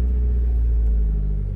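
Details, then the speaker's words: Honda Civic petrol engine just after a cold start that earlier would not start (fuel pump primed, check engine light on): steady, even hum at raised idle, RPM high until it reaches normal temperature; normal cold-start high idle. "natin nag-start siya no start siya ng walang check engine light ito ay called start guys kaya mataas pa yung RPM niya"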